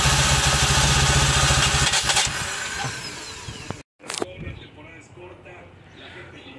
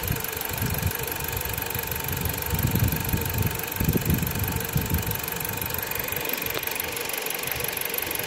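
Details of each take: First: Dodge Journey 2.4, used replacement engine that won't start, cranking during compression test (about 40–50 psi per cylinder): fast, light, even beats with little resistance; low compression suspected from incorrect cam timing shown on CKP/CMP waveforms. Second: Dodge Journey 2.4 with a replacement used engine, warm at operating temperature: a smooth, even idle with no stumbles. The fault was a defective new Duralast sensor; a used original sensor fixed it, and there are zero codes.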